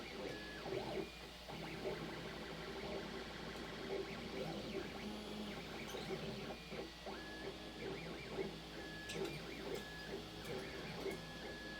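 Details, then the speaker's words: Furlingtech YAN 3D printer printing right after setup: stepper whir with short high squeaks coming and going as the head travels; possibly needs lubricant on the smooth rods, print quality unaffected. "I'm getting some weird squeaky noises. Yeah, I hear them. They sound like our dog."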